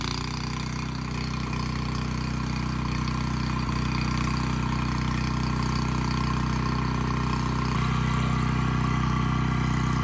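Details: Abandoned Powermate generator, stored dry, good compression, no AVR, running without load: steady even drone, governor holding speed; output adjusted from about 135 V down to 130 V, normal idle.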